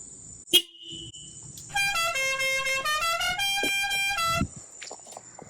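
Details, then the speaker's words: 1st-gen RHD JDM Honda HR-V after installing junkyard horn at factory mounting point, grounded and spliced into OEM wiring: clear, steady two-tone blast held almost three seconds, no rasp or cutout; horn works normally. "Got a working horn for free because I hoarded some junkyard parts."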